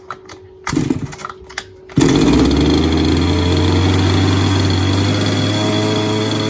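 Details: Falcon buggy small two-stroke engine, first start on choke after fuel was primed: a few weak pops, then it catches and holds a steady, even buzzing run with no misses. Normal running.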